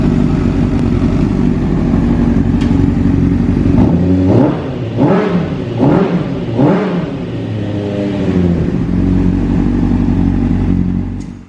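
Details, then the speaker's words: 2005 Honda CBR600RR rebuilt after wreck, testing newly replaced tilt sensor (previously bypassed with a wire) with fuel pump priming: steady idle, then three or four quick throttle blips rising and falling cleanly, no stumble; normal running. "let's go ahead and test this sensor and make sure that our bike is running good before we throw it together"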